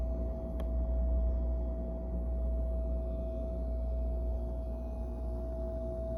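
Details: Whirlpool refrigerator (store unit vs delivered unit comparison): loud steady hum at one pitch around 650 Hz over low rumble with no variation; unexplained tonal hum.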